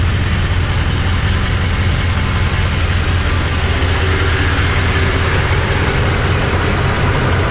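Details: Toyota Tundra with newly installed TRD dual exhaust, started and heard from the back: deep, steady low rumble with even exhaust burble, no knocks or misses; healthy V8 idle.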